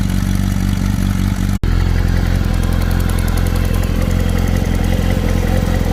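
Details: Kawasaki ZR7 motorcycle engine: steady hum with an uneven, light clattering tick running through it; abnormal top-end clatter, owner unsure of cause.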